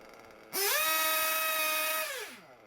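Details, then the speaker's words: Small RC nitro engine after tuning: idle gap set, low speed needle leaned for a good idle, high speed needle leaned for top end; snaps up to a high steady scream and winds down cleanly, revs pick up nicely, high speed needle good. "revs pick up nicely high speed needle is good"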